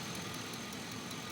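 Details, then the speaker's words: 2003 Chevy Avalanche 5.3 V8 with P0300 random misfire, after replacing injectors on cylinders 2 and 7, one O2 sensor unplugged; soft even idle, steady beat, no skips, misfire counter shows no misfires. "well i've changed both injectors on the two and seven and as you can tell it's running smooth it sounds good"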